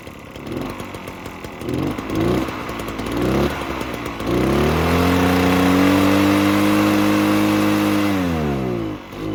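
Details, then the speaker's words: Echo PB-403T two-stroke backpack leaf blower that sat for years, started on choke: sputters, catches unevenly, holds a buzzing rev that won't climb and sags, smoking a lot; bad fuel suspected, carb cleaning planned. "all right well it's cool it uh it definitely starts and runs so we know spark compression smoking a lot so it's definitely got some bad fuel in there"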